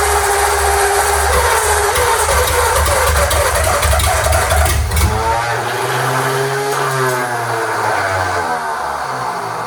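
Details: Freshly rebuilt Ford flathead V8, first start on the starter with fuel poured into the intake: rough low rumble as it fires and runs, then winds down and stops once the poured fuel runs dry. Engine running.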